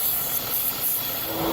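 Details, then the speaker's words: 3.6 L engine idling higher than normal (normal about 700–800 rpm), check engine light on with code P0507; steady airy hiss over a faint idle from a split PCV valve hose leaking vacuum, noise changes when hoses are moved. "all right ladies and gentlemen that is why this 3.6 L is idling higher than normal I have a vacuum leak right there at the PCB valve hose"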